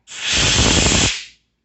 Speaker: if you hear that sound you know that you are missing your washer and you either need to check the tank that you just removed your regulator from or on the floor around your tanks